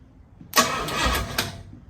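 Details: 1968 Pontiac Firebird being revived after sitting, cranking after a bad starter ground was moved: a quick, even burst of cranking lasting about a second at steady starter speed; the starter turns the engine over properly.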